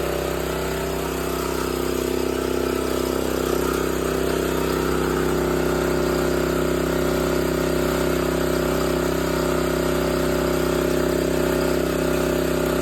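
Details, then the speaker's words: Old 8 hp Honda generator, engine sped up, running a small grinder on metal as a light load: a steady, even drone with no hunting or surging, holding speed easily; running healthy. "see if you can hear the the load on the engine it's just a little bit of a load for this engine this engine is pretty big for a little bit of a grinder than I'm going to be using"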